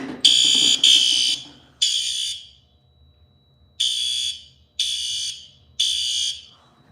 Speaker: It's not loud at all because of how terrible the panel's power is.